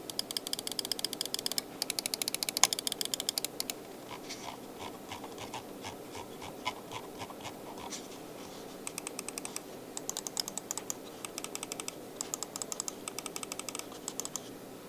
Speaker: Yeah, those side buttons don't sound the greatest. They sound kind of cheap, but beyond that, seems like a very great mouse for 25 bucks, like new condition, where I don't think the guy ever used it.